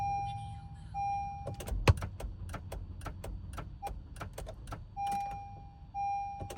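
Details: 2021 Honda Pilot with a 4-year-old dead battery: scattered relay clicks and repeated dash chimes, no cranking at all, dashboard errors; no-start from bad battery.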